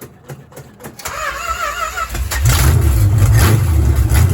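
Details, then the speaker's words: 1970 Dodge Charger big-block Mopar with MSD 6AL box and repaired electronic distributor (pickup cleaned, filed, gap reduced): brief cranking, starts first try into steady deep even idle; timing slightly advanced, needs a little retard. "So it needs to be retarded just a little bit, but heck, it fires. That's good."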